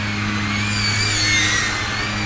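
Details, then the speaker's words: Geelang Anger 75x power whoop drone with four-bladed props: steady high-pitched whir from the small motors, even tone with no rattles or wobble; props and motors sound normal. "here is with the prop sound like and these are the four bladed gym fans is about normal or what they should sound like"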